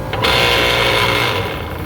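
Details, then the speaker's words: Rooftop AC second-stage scroll compressor, bumped on after a cracked reversing valve and total refrigerant loss: a harsh, rattly hum with buzzy internal vibration; the compressor is bad and its vibration cracked the valve, and it may be dry on oil. "That compressor's bad. There's a vibration in that, and that's what cracked the reversing valve."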